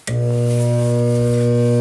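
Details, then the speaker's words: InSinkErator kitchen garbage disposal switched on: loud, steady low mains hum with no spin-up; it turns freely with a pry bar, so it is not mechanically jammed and an electrical motor fault is suspected. "So if you turn it on, it buzzes, hums, doesn't spin."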